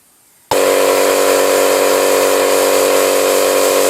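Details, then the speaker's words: Small air compressor that won't hold pressure, plugged in and pumping: a sudden loud steady hiss with a whistling tone from the pressure switch, not the tubes, where air escapes through a broken rubber diaphragm. "okay this little compressor's got an issue uh it's not holding uh pressure and um I can hear a a leak and I've worked out that it's a diaphragm in the uh in the pressure switch"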